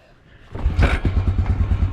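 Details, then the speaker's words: 2001 Honda Rancher 4x4 ATV single-cylinder, sat six years in North Dakota storage, pull-started with dead battery: fires with a burst, runs uneven low thumps about a second, won't settle to idle; fires briefly then stalls. "pulled it over and the thing fired up that is crazy holy cow six years this thing has been sitting and it just fired up for a second"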